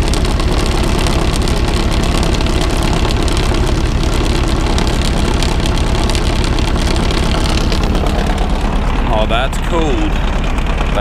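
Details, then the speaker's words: Trucker's diesel semi truck, cold start after heavy snowfall: engine chugs with an uneven, lumpy beat near three pulses a second and struggles, then starts running a little better. "cold, buddy. She's having a hard time now. She's starting to run a little bit better."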